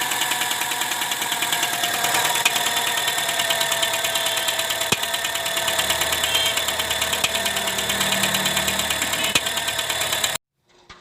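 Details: Honda Civic Hybrid, codes P1024 valve pause system stuck on and P0300 random misfire: sharp rapid ticking about three per second over idle, louder on acceleration; rocker arm clatter.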